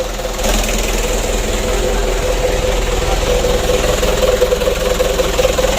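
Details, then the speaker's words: Rebuilt 120 PS 4D34 diesel (Ragasa) after assembly, warming up at idle: loud, raspy exhaust drone blamed on the exhaust tip, no irregular knock; injection pump still good, engine healthy, to be run in 4 days to a week. "Untuk injection pumpnya masih bagus. Kita panasi dulu. Itu suaranya besar karena ujung knalpotnya itu ya."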